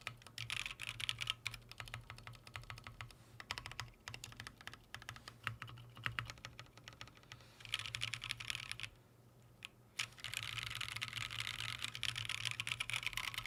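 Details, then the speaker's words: Freebird TKL keyboard with stock Green Snake switches in an unfoamed case: rapid uneven typing clacks with a hollow, ringing tone and a faint rattle on the long keys from the stabilizers; hollow keyboard typing with stabilizer rattle. "that's kind of like what I sort of anticipated this is being very Hollow sounding and I'm going to show you what that sounds like right now"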